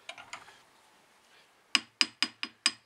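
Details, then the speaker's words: BSA A65 crankshaft struck with light hammer taps, a known cracked crank with a crack across the timing-side big end journal; taps sound dull with short ring, unlike good cranks, typical of a cracked crankshaft. "notice how dull that is because there's a crack running through the big end on that side that's what a cracked crankshaft sounds like"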